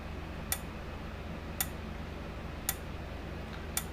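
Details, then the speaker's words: 1987 Parmak Super Energizer SE-1 fence charger on test; sharp single clicks about once a second over a quiet hum, normal pulsing with about 9,500 V output, though the needle gauge doesn't move and needs replacing. "all right well sounds good but the needle gauge isn't working"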